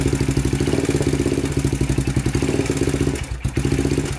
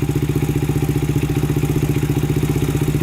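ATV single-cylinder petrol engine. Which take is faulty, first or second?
first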